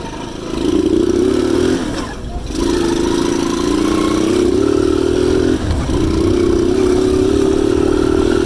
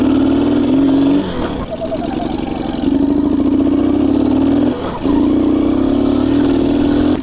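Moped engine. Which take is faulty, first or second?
second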